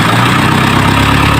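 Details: Isuzu 4HL1 diesel, which had hard starting and stuttering running, now after crank sensor cleaning and parts replacement; steady, even, low smooth idle with no shaking or missing; runs normally.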